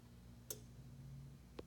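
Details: 2011 BMW E93, switched off, locked and on a charger: a low hum then a mechanical click like door locks cycling, every 25–30 s, from the mid engine bay or cabin. A module won't sleep, draining the battery.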